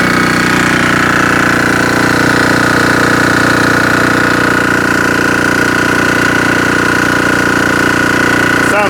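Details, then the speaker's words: Army MEP-831A 3 kW generator, single-cylinder Yanmar L70 296cc diesel with new governor controller, under charge-burner load of 50 amps, about 2800 watts: steady drone with constant whine, no hunting or surging; holds speed well, normal. "great all right so right now we have 50 amps going in about 2 800 watts"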